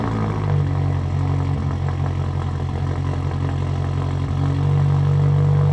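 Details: Subaru WRX at idle after installing an IAG Competition Series air-oil separator replacing the stock PCV system (previously smoky startups, rough idle, oil in intake); deep, steady rumble, even beat, no stumble or misfire, rises slightly; no smoke on startup, smooth healthy idle.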